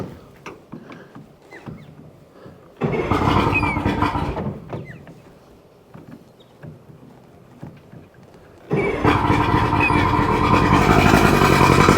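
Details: Two-stroke outboard on a tinny, long unused, with the blocked telltale hose cleared, run on a water hookup: quiet ticking, then it fires and revs loud and steady; it settles once the choke is likely off and moves plenty of water.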